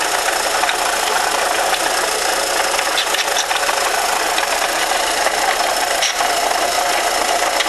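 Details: 1998 Volkswagen Jetta 2.0 petrol engine at idle: clattery, uneven metallic knocking and rattle throughout, seeming to come from one side of the engine; cause not diagnosed.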